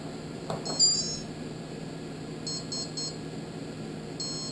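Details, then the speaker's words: Red Brick 25 brushless ESC on a test bench before firmware flashing: three clean high-pitched beep groups over a quiet background, the normal startup tone sequence, motor having a slight whine. "okay you see how that sounds so you get an idea basically how that sounds and you can hear the [Music] motor has a little wine to it"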